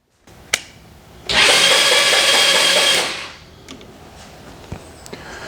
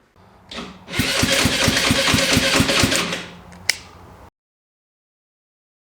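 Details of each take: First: GY6-type Chinese scooter/kart engine, battery weak, compression not gauged: a short, even, high whirring spin of just under two seconds at steady speed; starter turns the engine over well, normal cranking. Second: GY6-type engine on a used golf cart cranking on starter with a new carburetor: even chug about four per second but never catches; no gas gets through the carburetor.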